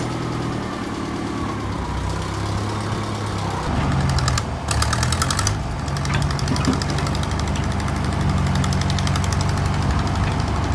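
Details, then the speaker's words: John Deere 2010 tractor after replacing exhaust gaskets to fix leaking exhaust: steady even low putter at idle with no exhaust chuff or leak puffing; sounds much better, normal idle. "well hot dog that is sounding a little better I would even go as far as to say that sounds a lot better"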